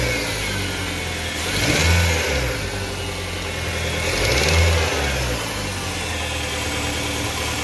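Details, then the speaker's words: Car engine after the belt driving the accessory pulleys was removed and refitted: steady idle, two clean revs, no rattle or squeal; the annoying noise had come from the worn air-conditioning compressor, now gone, normal revving. "nada más como ven ya no hay ese ruido que por cierto era del motor de la compresor de aire de aire acondicionado"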